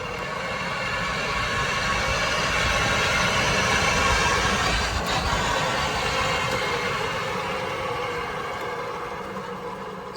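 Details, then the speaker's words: EZGO TXT golf cart after alignment, driving: thin steady whining squeal over rolling noise, swelling and fading; owner suspects a bearing screaming on the back right side, unconfirmed. "like we have a bearing that is just screaming on the back right side here."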